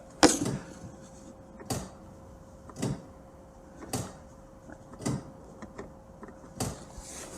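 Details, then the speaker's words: Citroën C6 bi-xenon headlamp after replacing the xenon bulbs, engine off: main beam toggled gives crisp single clicks about every second over a faint steady hum as the shutter trap door opens and shuts cleanly, normal operation. "If I put main beam on, You can hear the little trap door opening and shutting. Oh, no. So that's shut. Open. Shut. Open. Shut."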